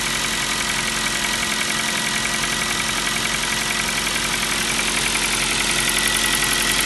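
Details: New Kia Rio 4 with 1.6 engine at steady idle: fast, even light knocking about three to four per second; piston slap, the same sound the Kia Rio 3 had.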